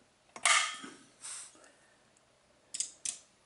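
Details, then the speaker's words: Usher amplifier powered on with volume down, aux 1 input, unbalanced inputs, power levels mid: a few crisp relay clicks about a second apart, then quiet with no hum or crackle, normal power-on relay engagement. "there you can hear the power relays clicking on telling me that everything's fine with the amplifier"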